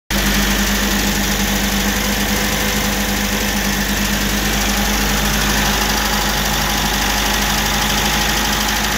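Cold engine idling evenly with a light, fast tapping riding over the hum; the cause can't be pinned down by ear alone.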